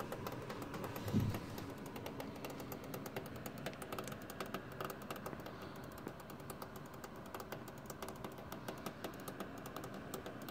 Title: Thermaltake Toughpower iRGB Plus 1200W Platinum PC Power supply Unit makes cracking knocking noises